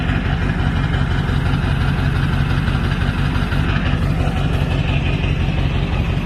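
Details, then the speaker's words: 1999 Ford F-350 crew cab diesel, ZF6, about 299,000 miles, new water pump, thermostat and high-pressure oil pump; steady even low clatter at idle, no misses or knocks; healthy normal idle. "water pump is new thermostat is new it sounds healthy very healthy truck"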